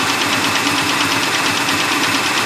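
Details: 2003 Ford Taurus with a misfire: an uneven, pulsing chuff of about eight beats a second at idle while each plug wire is pulled from the coil pack to compare the running sound. Some cylinders change it, others don't; cause unconfirmed.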